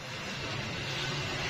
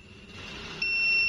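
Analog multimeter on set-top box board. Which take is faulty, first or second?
first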